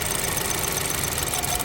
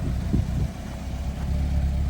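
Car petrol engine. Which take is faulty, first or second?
first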